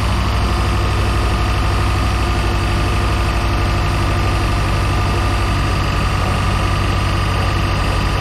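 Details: Project boat, starboard engine at its first start-up on a water hose: heavy idle with a steady low rumble and a faint regular tap; owner suspects a rod knock, not confirmed.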